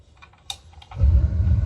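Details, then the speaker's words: Bradford White Defender gas water heater with Honeywell gas control valve, reset after no hot water: status light green on pilot, valve turned to setting; faint clicks then soft whoosh as main burner lights into steady low roar, normal ignition. "And now, given that it's on pilot, what you want to do is turn it to the setting and you'll hear it."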